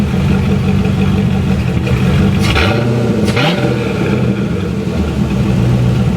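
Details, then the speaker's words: C4 Corvette V8 at idle after exhaust change (2.5-inch front Y pipe deleting front cats, Cherry Bomb mini glass packs) and head gasket work; deep, even rumble with light blips, popping cured by adjusting an overly tight passenger-side valve; normal smooth idle. "All right, so I got rid of the popping. It happened to be one of the valves was too tight on the passenger side. Man, was that a bear. Now she idles smooth."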